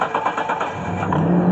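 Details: 2000 Mitsubishi Montero Sport LS V6, unrun since 2017, came in no-crank no-start from an intermittent alarm system fault; after disconnecting a wire: a few quick cranking pulses, then engine catches and settles into a steady run; starts cleanly.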